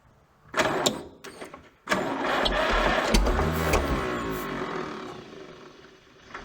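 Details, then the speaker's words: Minneapolis Moline ZAU junkyard tractor, water pump seized, low compression suspected, ignition on: starter drags the engine in a labored, uneven rhythm about four turns a second, cranking slower without firing; bearings fine, owner thinks purely electrical. "It's cranking slower. Yeah, there's smoke on this thing. Bearings are fine, it's just purely an electrical problem, I think."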